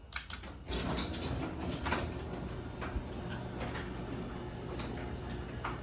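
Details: LiftMaster 8355 (Torque Master replaced with extension springs) and 8550 doors run down together; low steady motor hum, a few light clicks and rattles, smooth travel; normal garage door opener operation.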